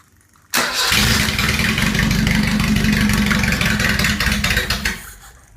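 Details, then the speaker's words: Datsun L18 engine on the garage floor, allegedly rebuilt, with electronic ignition from a Bluebird distributor and coil and no water pump or alternator fitted: cranked by remote starter with starting fluid, it turns briskly with a few firing bursts, almost catching, then dies. "like it wants to go have another guy maybe third time lucky"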